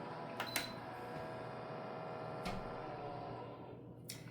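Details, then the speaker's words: Air Innovations ultrasonic cold-water humidifier, fan previously repaired with poor lubricant: small fan whirs too loudly with a steady buzzy drone from a binding fan shaft, before repair. "it's not supposed to be that loud what we have is an issue with the fan which I've already dealt with once before on this"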